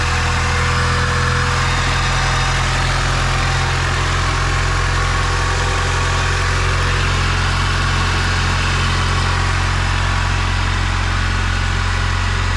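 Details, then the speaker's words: Turbo B16-swapped Honda CR-V on Hondata S300, first start after clearing a VTEC code with VTEC disabled, catch can lines not yet fitted: steady even low rumble, revs through cleanly, no knocks, misses or ticks; normal idle. "Oh, it revs through. It revs through."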